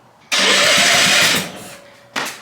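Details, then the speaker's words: Half-scale NASCAR Mini Cup race car, starter button on the dash newly wired to the battery positive: the starter spins the engine briskly with even pulses for about a second, then a short second spin; normal cranking. "So, if I push the starter button up here, the engine should spin over. That is a good sound."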